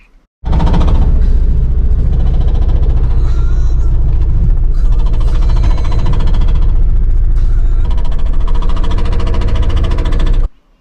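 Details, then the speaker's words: Campervan driving at low speed: heavy deep engine drone with uneven low rattle pulsing three to four times a second; owner suspects failing dual mass flywheel, unconfirmed. "That is the dual mass flywheel giving up. It's an expendable part."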